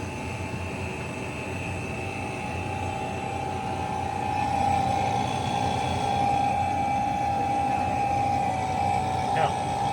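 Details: Cafe cooler after replacing a leaking suction-line service valve: vacuum pump's steady mid-pitched drone settles into a firmer, clearer note partway through, showing the pump has pulled a good deep vacuum.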